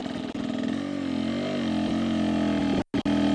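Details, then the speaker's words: Rieju after swapping 38mm stack carb for 36mm Keihin, rolling on an incline at steady quarter throttle, low RPM, slight clutch: clean single steady note pulling evenly without stumbling; low RPM the 38 carb struggled to find. "That right there, listen to that sound. That sounds really good. That low RPM was something I kind of had a tough time finding with the 38 carb."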